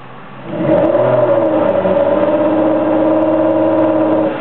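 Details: 2002 Ford Escape revving with a strained, hollow drone; two failed coil-on-plug coils misfired and unburned fuel clogged the catalytic converters.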